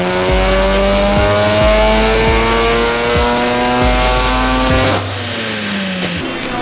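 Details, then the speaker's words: Widebody Mazda FD RX7 rotary on the dyno at steady high revs: loud howl with the low drone dropping out about once a second, boost hiccup as the wastegate opens and closes; boost leak from both ports blown off the boost-controller solenoid line. "there's a big boost leak, and that was causing air to release and not actually create more boost."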